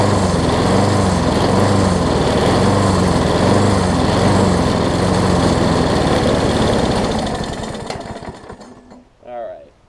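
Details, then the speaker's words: Craftsman self-propelled push mower after new flywheel key and carb, started with starter fluid: fast uneven chuffing, then fades and quits after about eight seconds; surging and stalling, stuck float or partly clogged jet suspected. "So, it almost sounds like the float's gotten stuck on it, unfortunately."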